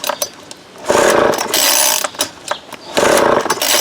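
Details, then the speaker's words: Vintage Craftsman 22cc two-stroke trimmer, estimated early-to-mid 1980s, original spark plug and fuel filter, new fuel line and cleaned carb, no clutch: short ragged barks between pulls with choke on, each dying within a second; sputters but fails to start. "choke is on right the other way I tried you can hear it barked a little bit there let's try halfway see if that gets us"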